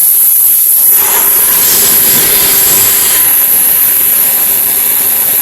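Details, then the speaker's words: Central vacuum with a good-quality 1 3/8 inch crushproof hose: loud, steady rushing airflow with a high whistle that strengthens after a second, stronger than the wire-reinforced hose; meter reads 7 versus 3; normal unrestricted suction. "You can actually hear the difference. That's got amazing suction"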